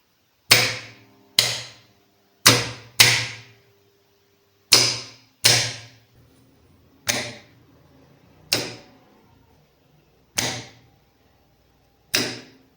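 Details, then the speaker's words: L&T three-phase starter contactor, tested after fitting a new coil and contact blades: crisp single clacks, about ten in thirteen seconds, each clean with no buzz or chatter; the contactor pulls in normally. "Current ಸಪ್ಲೈನ ಕೊಟ್ಟಾಗ contactor work ಆಯಿತು. ಅಂದರೆ coil ಚೆನ್ನಾಗಿದ್ದರೆ ಅಥವಾ ಕಾಂಟ್ಯಾಕ್ಟರ್ನ ಬ್ಲೇಡ್ಗಳೆಲ್ಲ ಚೆನ್ನಾಗಿತ್ತು ಅಂತ ಹೇಳಿದರೆ ಇದೇ ಥರನೇ ವರ್ಕ್ ಆಗುತ್ತೆ."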